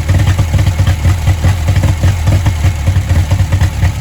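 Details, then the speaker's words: 1959 Reliant Regal Mk5/Mk6 three-wheeler small petrol engine, restarted after over 20 years, stuck on full choke: lumpy, slightly uneven chugging beat with lots of smoke; running on full choke. "It's on full choke and I can't adjust the choke. Right, let's see if we can take her off a choke now and see if we're quick enough, if she'll carry on going."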